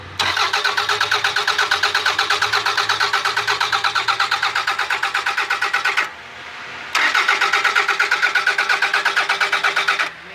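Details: 2001 Toyota Camry after the core support was cut off, wiring was fixed and a new radiator was fitted; the starter cranks at about two pulses a second in two long tries, but the engine never catches: crank, no start.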